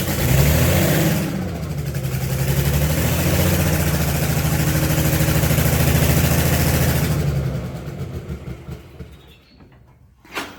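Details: Allis Chalmers HD20 crawler, GM 6-110 two-stroke diesel, running after sitting 15 years, with rebuilt blower and full-flow filters; exhaust manifold/muffler worn out. Deep, even drone holds steady for several seconds, then winds down to a stop; sounds healthy, no longer blowing oil.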